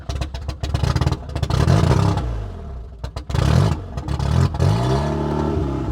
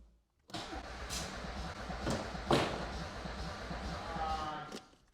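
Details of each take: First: Audi 80 no-start after new ignition control module fitted: cranking breaks into ragged firing bursts that rev up and fade repeatedly on brake cleaner spray, spark restored; tachometer still shows no revs. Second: Audi 80 no-start: starter turns engine over at steady pace about four seconds without firing; no spark found after trying another plug wire, distributor suspected; plugs possibly fouled by brake cleaner, multimeter maybe too slow to register.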